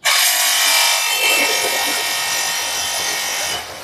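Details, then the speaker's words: Jet 300 water pump (2-inch), first test run after priming the outlet pipe with a foot valve fitted: harsh, uneven, continuous scraping hiss because the pressed-in strainer cover is catching on the cooling fan. "Oke, nah ini kan ada permasalahan sedikit ya Kak. Ini permasalahannya itu pompanya bunyi. Karena apa? Untuk penyebabnya ini karena kipas ini, tutup saringannya ini nyantol di kipas."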